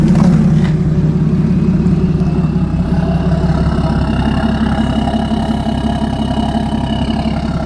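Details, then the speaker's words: BMW E60 535d, M57D30 diesel, 286 HP, straight pipes with no catalytic converter or DPF, after an overhaul for overheating; cold start after several hours: loud, steady, even idle with deep exhaust rumble and audible turbos, no knocks or misses. "Usually with straight pipes without any catalyic converters or DPS, you can clearly hear the turbochargers. The car is pretty much cold. I haven't started it for several hours. So, yeah, I think it sounds good."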